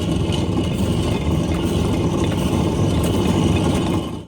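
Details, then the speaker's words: MCI bus front end, driver's side worst: continuous rough gravelly grinding and clatter from a badly worn wheel bearing, cone and race worn, no oil and full of water; kingpin bushings also worn through. "It had horrible sounding wheel bearings on the front end. Both sides were really bad sounding, but especially the driver's side here was like the worst."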